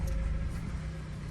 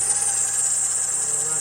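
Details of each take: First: Power steering check with engine idling at about 26 degrees outside, reservoir cap off to let air escape, wheel turned lock to lock about four times each side: steady low idle, no squeal or whine; normal power steering operation. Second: 2007 Honda CR-V, 262k miles, cold winter day around 26°F, idling: a loud, steady high-pitched squeal and whir over the engine from the power steering belt area; a pulley is suspected and to be replaced.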